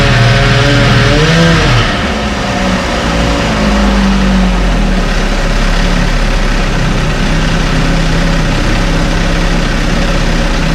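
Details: 1968 Evinrude Fastwin two-stroke outboard, first run, just dropped in a test tank with fuel and no work done: even two-cylinder burble settling to steady idle after a few clean revs, no knocks or misses; healthy.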